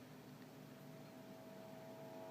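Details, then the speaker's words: Geloso G1040 tube PA converted to a guitar amp, on the rewired channel: a low, steady hiss with faint hum and static, loud at this setting, possibly due to improper shielding. "has a different kind of noise, static noise, which is maybe due to improper shielding. But it's still quite loud at this setting,"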